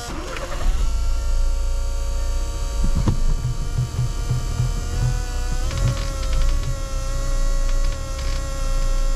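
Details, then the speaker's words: 2015 VW Golf Mk7 TDI diesel restarted, just before switching to WD-40: steady low hum with a faint even whine on top, running smoothly with no misfire or stumble. "all right I think we have it run and finally I should be able to switch it over to WD-40 and in theory it should run well"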